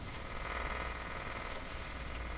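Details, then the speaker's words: Viking Model E1 4526Z two-band tube radio at first power-up, no antenna connected yet; soft steady hiss with faint hum, no station, like the interference normally heard in the shop. "sounds like the interference that's normally heard in my shop yeah something happening"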